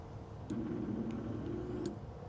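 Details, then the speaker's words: 2000/2001 Ducati Monster 900 that sat for a while, with a new fuel pump fitted and hoses reconnected, on key cycle: a faint, steady low electric hum for about a second and a half that cuts off cleanly; the fuel pump primes normally. "I can hear it running. All that looks good."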